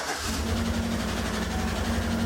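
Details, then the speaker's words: Cold Chevrolet V8 with AFM/DOD (Tahoe/Silverado type) idling with a low, uneven, lumpy beat, now misfiring; collapsed lifter under the VLOM causing lifter noise and misfire, oil still thick. "Oh, it's misfiring now. Oh, that's definitely a collapsed lifter."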